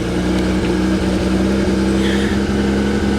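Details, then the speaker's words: Engine runs but rough on a salvage-auction vehicle just started off a booster pack after a bad ground connection. Uneven idle with a lumpy, stumbling beat and wavering pitch; service engine light on instantly, stuck in park, cause not pinned down. "Well, she's not running well. Service engine light on instantly."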